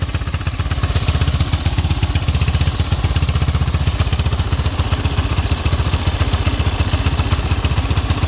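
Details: Chinese 250cc ATV after a new carb, new battery and oil, and a charging fault fixed by splicing a broken yellow wire, now charging about 12.48 V: an even, steady single-cylinder idle thump with no knocks. Normal idle.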